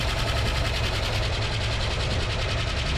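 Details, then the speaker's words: 1974 AMC Hornet revived after sitting 31 years: rapid, loud, constant ticking over a rough idle, suspected lifters, possibly with an exhaust leak. Heat cycles were tried, with trans fluid considered in the oil; not confirmed. "gonna just try some heat cycles and hope these lifters end up picking up or whatever."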